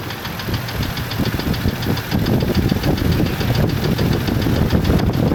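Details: F-150 with 180,000 miles, idle: heavy uneven low knocking about two beats a second over rough idle, mic up close; cause unconfirmed; replacement engine recommended; engine knock.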